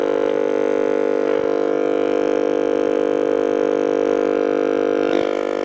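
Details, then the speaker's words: Shaftesbury Japanese midget valve radio: steady loud droning hum under station tuning, unchanging; failing dual smoothing capacitor in one can lets ripple through, to be replaced; mains hum from failing smoothing capacitor. "as you can hear is trying to bring stations in but because of the the uh the capacitor failing it's um allowing Ripple to get through and uh causing quite a bit of noise"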